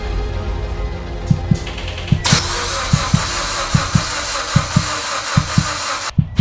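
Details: Evo X engine, sitting on a shelf over 10 years, first start after being swapped into the car with fuel injectors in and no leaks found: cranks with even beats about once a second, fires, then settles into a steady healthy idle.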